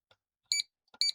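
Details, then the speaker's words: Amiga A3000 Chinon FB-354 floppy drive, speaker plugged into its alignment feedback output: two short, clean high beeps about half a second apart as tracks are read; normal alignment feedback tone. "Let me plug a speaker in. It has an auditory feedback mechanism, which is quite useful, to be honest."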